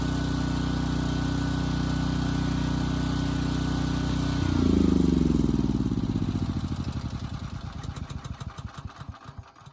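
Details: Briggs & Stratton Elite Series generator (model 030471-01) after repositioning the oversensitive governor spring and backing off the speed adjustment screw: steady even speed for about four seconds, no surging, then spins down and stops; governor holding steady.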